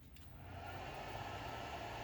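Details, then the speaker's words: Pampa Hogar ARC 200 160 A inverter welder just after power-on; smooth, even airy whoosh of the cooling fan, then it cuts off; sounds normal. "est le son du courrier qui refroidit la machine"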